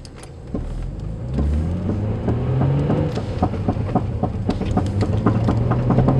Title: G35 front driver side rattling noise